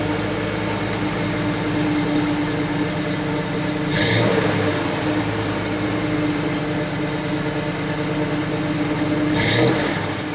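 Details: 1991 GMC Jimmy with newly fitted recommended PCV valve, cold idle: steady hum that twice swells and wavers as idle drops and recovers, hinting at stalling; truck has an ongoing unresolved stalling problem.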